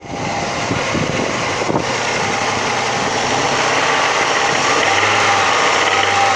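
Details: Audi 100 2.3 (NF engine): engine held high in the revs with a fast, fairly even knocking over the run; knock appears from about 3000 rpm and up and is heard more clearly under load.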